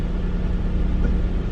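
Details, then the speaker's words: 2003 Mitsubishi Eclipse GTS after engine rebuild, new motor mounts and new fuel pump and filter, started dead cold: steady even low rumble with no misses or surges, idling slightly high because cold; smooth healthy idle. "you can hear how how smooth this thing runs after i rebuilt it but yeah now idling a little bit high right now just because it you know it's cold"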